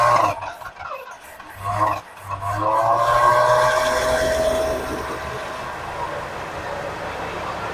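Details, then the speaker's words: 1979 Lincoln Continental abandoned 32 years, first start using starting fluid: it stumbles and catches, then settles into a smooth, even V8 idle that holds on its own, a normal idle. "He's idling, guys. 32 years. 32 years. It's running."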